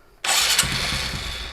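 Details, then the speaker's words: Motorcycle with vacuum fuel tap, fuel hand-sucked into the carburetor, very cold engine, in neutral: short electric starter whirr, engine turns over but never catches; carburetor still short of fuel. "bahan bakarnya ada tapi cukup nggak ya Coba kita start lagi ganti bahan bakarnya belum cukup tarik lagi kita sedot lagi"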